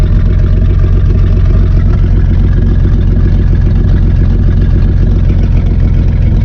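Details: 1955 Plymouth Plaza two-door wagon, parked since 1980, idling with muffler cut off: deep, steady, rapid loud raw chuffing from open exhaust, smoking a little, good oil pressure; may die at key-off, owner suspects ignition wiring.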